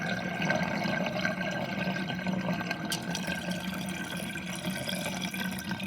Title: Interesting kitchen sinkdrain with drainbasket and gurgling sound (1)